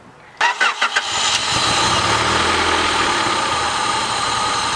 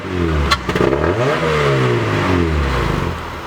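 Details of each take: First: Honda Prelude after a temporary fix for a throttle that stuck and redlined the engine, smoking the clutch. Starter cranks briefly, engine catches and settles into a steady, even idle with no high hang. Normal idle. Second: Honda Prelude whose throttle stuck and redlined it, smoking the clutch; after a temporary fix the idle no longer sticks; revs rise and fall with a loud, raw, open exhaust roar, consistent with a muffler that has broken off.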